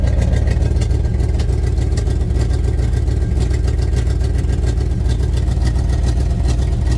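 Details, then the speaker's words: 1992-94 Chevy K5 Blazer V8 restarted after adding antifreeze: loud steady idle with slightly uneven low chuff, coolant pouring out tailpipe; owner suspects blown head gasket, possibly intake manifold gasket, not confirmed. "Real bad, there it goes. So that's what I'm talking about. I mean, I believe it has the blowed head gasket, but I know on the Chevrolet, somebody's told me, ooh, they're getting bad now."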